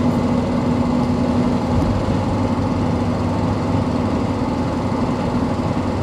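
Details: Toyota 1KZ-TE turbo diesel running: light ticking of roughly two per second, which is the owner's concern, over a steady tyre hum from mud-terrain tyres.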